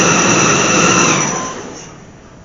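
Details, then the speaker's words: Chevy/GMC truck first start after fuel pump and fuel filter replacement: high, thin squeal right after startup fading within about a second; source under the truck uncertain. "know what that noise is yeesh sounded terrible"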